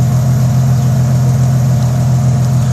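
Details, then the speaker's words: Jeep 4.0 inline-six after spark plug change, with an exhaust leak present: deep, even idle, steady low drone, no misfire or spitting as before; normal idle. "exhaust sounds better before you just spitting and sounds good"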